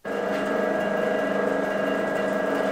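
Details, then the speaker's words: Axminster Craft AC2606B bandsaw after assembly and calibration, guides set top and bottom, guards in place: steady even mid-pitched hum with no knocks, rubbing or rattles; beautifully smooth, tracking well, normal running. "absolutely gorgeous, beautifully smooth, no noises, all tracking well."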